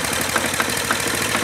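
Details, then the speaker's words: Acme Motori ADX 740 diesel, unrun for over 10 years, with new fuel filter, fuel pump bypassed to filter: uneven lumpy beat with irregular knocks, shaky idle, heavy smoke, sounds like it's dying; cause not found. "So, I bypassed that, ran the fuel line over and it's still blowing smoke and sounds like it's killing the engine."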